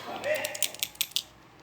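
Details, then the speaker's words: 2014 Ford EcoSport 1.6 Sigma with a suspension noise: inner CV joint rocked by hand gives sharp metallic clicks, about five per second, from broken tripod balls causing large play; fixed with a new tripod and a new stabilizer link. "ela tem uma folga assim ó que é normal diferente dessa aqui que essa aqui tá com esfera ó se quebrar a esfera igual quebrou dessa aqui fica uma folga Grande"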